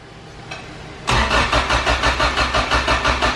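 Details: Acura with a sleeved GSR B18, cold, on a jump box after fuel filter cleaning, fuel pressure good: steady starter chug about three turns a second goes on and the engine never catches; a new battery is suspected as needed.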